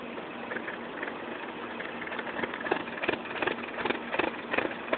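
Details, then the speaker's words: 2007 Mini Cooper idling: the idle hunts up and down with uneven surges, two or three a second, and sounds close to stalling. Rough, fluctuating idle. "Okay, here it is again, making that weird fluctuating engine sound. See, there it goes, fluctuates."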